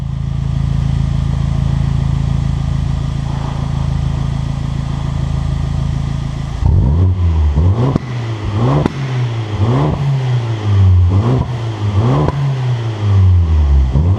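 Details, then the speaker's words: Abarth Punto Evo revved in normal mode, then sport mode; loud car with no pops or bangs: steady idle, then about six quick clean blips with no misses; normal revving. "Now this car's pretty loud, you can hear it, but it doesn't have pop and bang."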